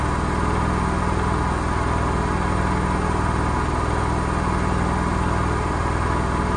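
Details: Gorenje SensoCare washing machine spinning at 1200 rpm with a heavy, unbroken low roar and fast throb from bad drum bearings; the tub does not split open for bearing replacement.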